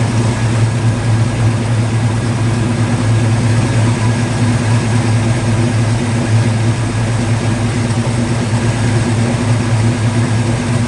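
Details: 1950 Ford F1 truck after hotwiring ignition to battery with MSD box, fuel pump hardwired: deep, steady idle with even low rumble and no misses, knocks or ticks; running healthy.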